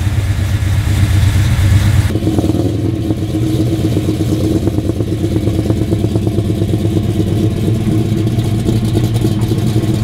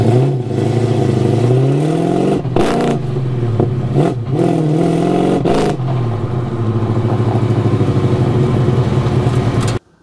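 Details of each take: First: Pontiac GTO on a test drive after HEI distributor diagnosis for an autocross misfire, rear-mounted camera mic, aiming past 3,500 rpm: deep steady V8 rumble pulling cleanly and evenly with no misses, pops or stumbles; ignition running healthy. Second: GTO with HEI distributor at an autocross track: it pulls, then repeatedly stumbles, loses power and cuts out under throttle before catching again, later failing to restart. Ignition misfire, with the HEI distributor suspected.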